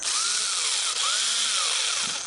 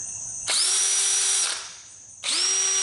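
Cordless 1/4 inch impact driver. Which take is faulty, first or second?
first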